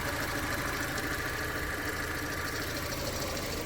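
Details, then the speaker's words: 2012 Fiat 500 Lounge after fitting four new spark plugs, no fault codes: small four-cylinder idles evenly and steadily with no missing beats or hunting; earlier misfire is gone. "That misfire, it's definitely not there. I think it's all been cleared up with a fresh set of spark plugs."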